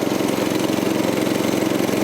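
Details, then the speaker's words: 1984 Troy-Bilt tiller with 6.5 HP 212cc Predator engine, replacement short-nose spark plug fitted after a no-start: smooth, steady, fairly quiet putter with no misses or surging, sounds no different from last year; normal idle. "It's running though. Sounds good. Fairly quiet. Doesn't sound different from last year."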